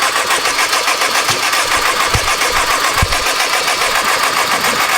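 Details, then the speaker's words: Cheap forged GSR built engine, first starts; ragged uneven run with irregular low pops, sputters even at full throttle; timing light shows nothing and spark seemed weak, cause unconfirmed: engine sputtering. "Why is it sputtering? I held to the floor and it sputtered. Interesting. It's weird."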